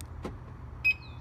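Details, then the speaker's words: 2007 Audi Q7 with clogged front drains and water sloshing in the footwells: after a plug was pulled to drain the water, the alarm arms with a single clear, loud chirp over a quiet idle. Before draining, the chirp was barely audible. "That is very loud. Before I pulled that plug, you could barely hear that beep."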